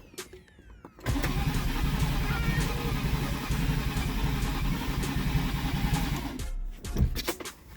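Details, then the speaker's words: 2011 Nissan Teana just fitted with replacement engine (old one needed camshaft), start attempt; starter churns steadily about five seconds, never catches; crank no start, traced to a connector left unplugged. "Okay. Yes, I'm gonna miss this here plug. I don't know how I'm gonna miss this here plug, man. I'm gonna miss this here plug."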